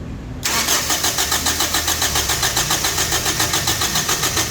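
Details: Toyota Innova gasoline with dashboard blackout at key-on: starter cranks evenly about three and a half beats a second but engine never catches; crank, no start, traced to blown injector fuse.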